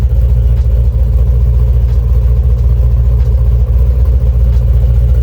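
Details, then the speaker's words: Stolen Jeep SRT with Hemi and bolt-on supercharger kit, sold as run and drive: heavy deep rumble with rough clatter, loud at the front of the engine; motor sounds unhealthy, cause not confirmed. "But up front here, she's making noise. No! No! Yeah. That motor does not sound healthy."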